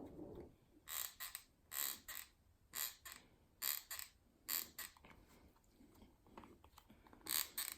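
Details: MSX electric unicycle pedal pressed at one corner; sharp crackling creaks in bursts with each weight application; loose mounting-plate screw under the griptape, fixed by tightening the screws.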